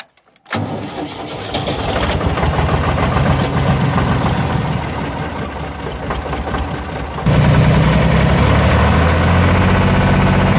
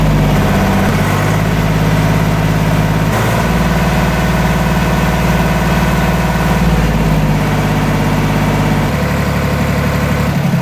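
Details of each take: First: Deutz D4506 tractor diesel after running out of fuel, fuel filter replaced and injector pump bled: about seven seconds of even cranking before it catches and settles; hard start as remaining air in the fuel system clears. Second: Deutz D4506 tractor diesel test run after running out of fuel, fuel filter swap and injector pump bleeding: deep, even chug holding a steady idle with no misses or knocks; normal diesel idle.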